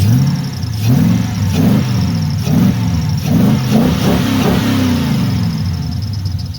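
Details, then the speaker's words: 1979 Pontiac Firebird, LS-swapped V8, after fixing misfire from plug wires touching the header by swapping plug-side boots from spare parts; repeated throttle blips about once a second rising and falling cleanly, no stumbles or pops. "I'm gonna call that a win for free the best fixes are free fixes and this here was just Parts laying around"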